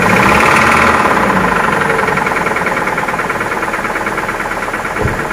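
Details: Toyota Prado with a 2TR-FE 2.7L petrol engine running: a steady, fairly even tapping about three or four times a second rides over the hum; a bad knocking sound whose cause is not yet pinned down.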